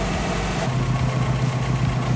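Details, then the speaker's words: Subaru with freshly rebuilt engine on EJ207 block, first start: deep, steady low burble at an even idle with no knocks, ticks or hunting; oil pressure and coolant temp registering; normal idle, running great. "This is how it's running. It's running great."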